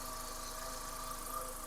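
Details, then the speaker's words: 2005 VW Beetle that sat unused since 2019, idling to warm up right after a power steering pump replacement: smooth, even idle with a steady hum and no knocks, misses or squeal. Engine and new pump sound normal. "I'm going to let it sit here and run a little bit kindly warm"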